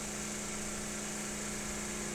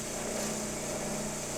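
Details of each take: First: Synchronous motor under load with field current cut to near nothing: steady hum breaks into clunking, rough uneven pulsing as speed jumps around, slipping poles out of synchronization; magnetic link re-establishes when load is removed. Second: Synchronous motor under mechanical load, heard after it was pulled out of synchronism by cutting field current and adding load, then with the load reduced. A steady, even hum with no clunking or speed surging shows it has resynchronized and runs normally.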